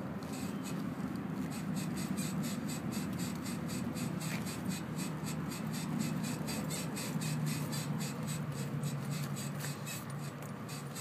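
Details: Honda, front passenger wheel: rhythmic high squeaks about three a second as the car is rocked by hand, a suspension squeak.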